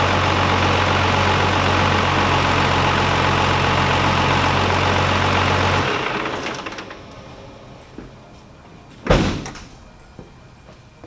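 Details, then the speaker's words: 2nd-gen Cummins diesel idling, then switched off after fitting a new green belt; it used to squeal badly at shutdown, now it winds down quietly with no belt chirp or squeal. "you not hear that no belt squeak holy smokes"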